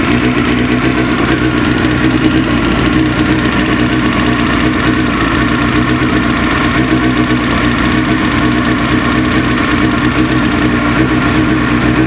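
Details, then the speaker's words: Motorcycle 954 at idle while warming up: loud steady idle with rapid, even metallic tapping over the engine note; knock quietens as it warms (nearly gone by 40–50°) and slightly with clutch pulled in; source undetermined. "прогревается, тем тише звук вообще становится. Я, кстати, попробовал, когда сцепление выжил, звук потише чуть-чуть стал."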